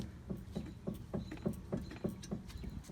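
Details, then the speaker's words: 2011 Kia Sorento with recently replaced struts, car rocked left to right: dull clunks about every third of a second from the driver's side front stabilizer (sway) bar link, which had gone bad. "if you're able to hear that what I'm doing is I'm rocking the car from left to right"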